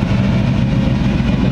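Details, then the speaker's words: Supercharged Weiand roots-blower engine with twin AVS2 carburetors, warm at just under 160, idling at 800 to 900 rpm, air-fuel just under 14:1, fuel pressure about 5 psi; a deep, steady idle with no misses or hunting. Mixture tuned, running smoothly. "i got the mixture nailed down i think idle snail down it's running just under 160"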